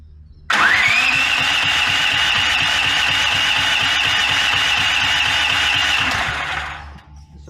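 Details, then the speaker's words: Brand-new Duromax 13000 generator on propane; electronic stepper-motor choke closes fully, moves to middle, keeps trying then gives up, backfiring throughout; runs with high whistle and uneven low popping; struggling start with backfiring, which ruins the choke stepper motor. "it keeps trying and then it finally gives up all the while backfiring all along the way"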